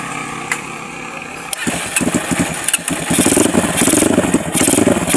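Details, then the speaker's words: Honda XR200 motorcycle with a no-start, now starting normally after the problem was proven to be only the battery. The starter spins briefly, then the engine catches promptly into a lively, even idle with a few blips. "Ayan mga kaibigan, napatunayan natin, battery lang yung problema ng motor ni Idondoy."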